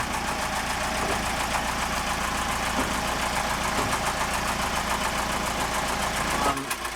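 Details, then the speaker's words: Boat's newly rebuilt diesel engine, motoring and then in neutral: steady running with an irregular knocking mixed into the clatter, still there in neutral; knocking noise, source not yet found. "as you can hear this funny sound started from the engine um Karen just went into neutral and is having a look at it right now"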